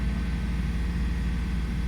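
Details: 2002 Toyota 4Runner brought in for a start-then-stall complaint, idling while the bank 1 air-fuel and oxygen sensors are graphed: smooth, even low hum with no misses, stumbles or hunting; fuel trims look perfect, normal idle.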